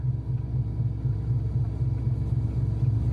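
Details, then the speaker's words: Bentley Arnage T project car, just started after arrival with ABS, brake, airbag and fuel warnings on; deep steady rumble with even low pulse, no knocks or misses; normal idle. "So we are running here. Let's see what we got."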